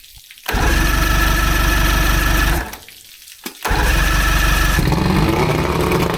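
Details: 85 hp Evinrude outboard on a water hose after new head gaskets, new spark plugs and tightened hose clamps, after earlier overheating: engine catches, dips briefly, then picks up to a steady, even run without knocking or sputtering; normal running.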